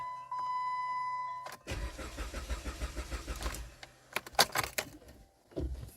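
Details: 2010 Jeep Compass with a no-start; fuel pump heard and fuel system lean code reported: a chime, then the starter cranks steadily for about 1.5 seconds without firing.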